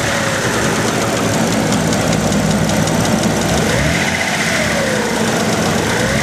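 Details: Dodge Stealth engine at idle, recorded from the engine bay: quick steady top-end tick in time with the idle, persisting after undenting the oil pan, fitting '99-style lifters and switching to 15W50 Mobil 1 then Royal Purple; owner doubts it is lifter tick.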